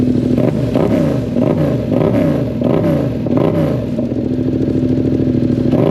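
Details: 2022 Yamaha MT-07 twin on first startup after aftermarket exhaust install, silencer still in: loud throaty bark with uneven throttle blips and crackly overrun; running fine, the new exhaust made the bike loud.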